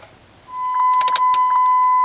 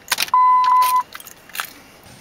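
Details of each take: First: 2004 Dodge Ram 1500 4.7L V8 after repairing a worn-through PCM B+ wire causing intermittent no-crank. At key-on, a steady thin hum holds evenly over faint clicks: the fuel pump is priming normally again. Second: 2004 Dodge Ram 1500 4.7L V8 with an intermittent no-crank: keys jingle and a chime sounds for under a second, then silence with no starter click or cranking. The PCM was not communicating; the cause was a worn-through PCM B+ power wire.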